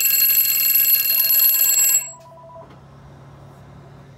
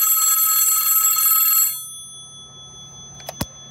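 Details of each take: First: Western Electric 500DM telephone with one bell removed from the 54AA ringer: two-second bursts of rapid thin, one-toned ringing with quiet gaps between; ringer with a single bell. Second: Western Electric 500DM telephone, case off, both bells fitted, clapper moving between bells: fast even bright trill at about four strikes a second, stopping cleanly; normal two-bell ring.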